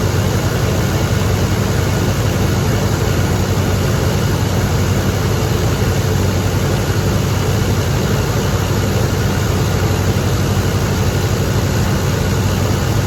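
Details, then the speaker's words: 1983 GMC K2500 Sierra Classic V8 barn find, first start in five years after sitting, new carb fitted earlier, fresh fuel being cycled, possibly little coolant so short run; deep steady even idle, no stumble or knock; normal idle, carb jets may need cleaning later. "okay so she runs she idles might be some carb cleaning in the future if any of those jets got gummed up"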